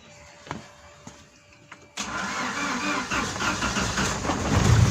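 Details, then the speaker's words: Opel Kadett starting after fuel pump work: faint clicks as the pump runs with no fuel leaks, then the engine catches cleanly at two seconds and settles into a steady run. Normal start. "Pump is running. Now we can hear the pump. No, no fuel leaks. Okay, let's start up quickly."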